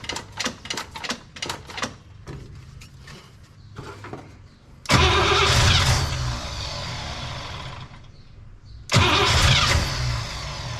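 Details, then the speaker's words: Cadillac "Lil Debby" with carb and new fuel pump, line blown out to the tank: steady cranking with brief catches and flare-ups dying at once; no fuel delivery, possible tank issue suspected. "Okay, here we go. Well, we're still not getting any fuel yet."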